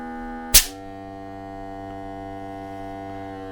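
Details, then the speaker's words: Fiamma A20 accumulator (water expansion tank) from a self-build campervan, leaking after a minus 15–20 °C winter trip, bench-tested off the van with a smoke tester: click, then steady pump hum building and holding decent pressure, no smoke visible, normal pressure build-up. "And as you can hear, it builds up a decent amount of pressure."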